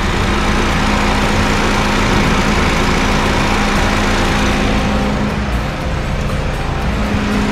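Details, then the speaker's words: Honda Fit GD3 idling with the AC on and the fan running, before any rumble appeared: a steady, even idle with no knocks. The engine is quiet and normal, there is oil in it, and the air blows cold. "まあ、至って静かです。クーラーもね、結構芯があって冷たいです。"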